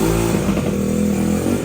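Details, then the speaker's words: 1985 Honda ATC70 chassis built up with a 125cc shifter engine for circle-track racing, first start: small single revs up and back down cleanly, pulling smoothly without popping or stumbling; runs well overall but the carburetor still needs fine tuning. "Oh, badass. Freaking sounds good. Needs some tuning, but it's overall stoked."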